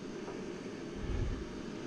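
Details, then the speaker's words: Chevy G20 van heater blower motor after removal and refit, key on in heat mode, low and high speed: steady, even rush of air with no ticking, rubbing or grinding; blower running healthy and flowing air. "she's blowing nice and quiet guys I mean you could probably hear it in the camera that's low and that's high so she's working all right she's flowing air"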